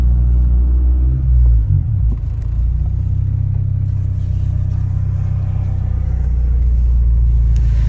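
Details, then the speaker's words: 1996 Honda Civic hatchback on test drive: deep droning rumble with rattly buzz swelling with throttle; exhaust hitting and vibrating against the frame. "yeah that's the exhaust hitting the frame too vibrates pretty good"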